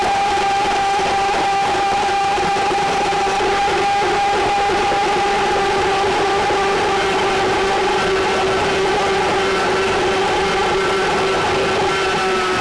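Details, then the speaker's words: RIDGID K7500 drum drain-cleaning machine with universal motor, back in forward after reversing: steady high motor whine over a lower hum as cable feeds; normal run. "now that I've gotten through that I'm going to go ahead and put the Machine of forward and continue to run it"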